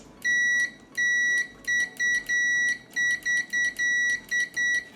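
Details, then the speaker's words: Saeco PicoBaristo SM5478 with E03/E04 errors, brew drive microswitch tested with multimeter continuity beeper while pressed: sharp high beeps in quick uneven bursts; switch closes properly, missed beeps blamed on probe placement. "Jak sprawdzić mikroswitche? Ano tradycyjnym już pipczakiem. Tu nie ma znaczenia, omy. Dotykamy obu tych łapek mikroswitcha."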